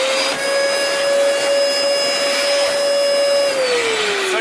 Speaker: two things by listening to this one one there's a blockage or clog and you thank you the clutch this is always something I talk about this is a clutch mechanism and when this needs to be replaced it's time to bring it to an authorized service center or a vacuum shop that knows what they're doing